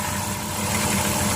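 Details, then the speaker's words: 2008 Dodge Caravan mobility van, 3.3 V6, 337k miles, heard under the hood: steady, even low hum at idle with no knocks or ticks; smooth, healthy idle, small valve cover gasket leak but no smoke. "Let's check under the hood. The engine idles smooth. Has a 3.3 V6 in it."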